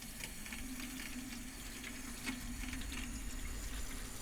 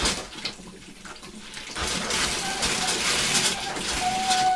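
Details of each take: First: 2001 Bayliner Ciera 2655 freshwater pump, 24-year-old unit replaced with new, system pressurized, faucet open: steady low hum under running water, even and unbroken, no rattles; pump sounds healthy. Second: 2001 Bayliner Ciera 2655 liveaboard, after replacing the 24-year-old water pump and repressurizing: sink hot faucet runs with irregular spitting and gurgling bursts instead of a smooth stream; likely air still in the hot water line.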